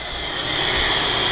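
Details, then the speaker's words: Audi TT, key out, engine off: steady electric whoosh of cooling fans running after key-off, stopping only when battery disconnected; regulator suspected failed. "see the fan runs yeah can you hear them starting up key out fans are running"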